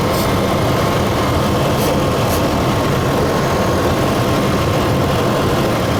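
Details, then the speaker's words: Truck with a developing vacuum leak, warm engine at idle: steady but slightly uneven, rough idle with a faint hiss over a low rumble; earlier it rose to 2000 rpm on startup, possibly only when cold; air leak suspected. "e but you see it's having trouble idling what it was doing before is it would go all the way up to 2000 rpm when i first started could be two because the engine's still warm maybe it only does that on a cold engine it's running a little rough too"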